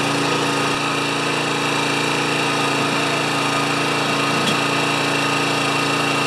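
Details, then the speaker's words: Honda EX1000 generator that came in running only on choke, now running after repair: it holds a steady high buzzing speed with no load and never settles. It does not drop back to idle; governor to be adjusted. "the only thing it's not doing is when it's on no load it doesn't drop back to idle"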